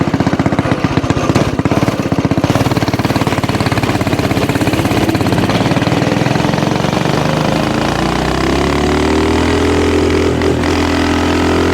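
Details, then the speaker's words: Axis/Coleman M200 mini bike, 196cc single, 22mm Mikuni carb, aftermarket exhaust, governor delete, riding with a 120 main jet: hard steady beat drops and stumbles at high RPM, cutting out; owner thinks jetting went the wrong direction and tries a 110. "All right, it was cutting out at higher rpm on the 120, so we may have gone the wrong direction with that."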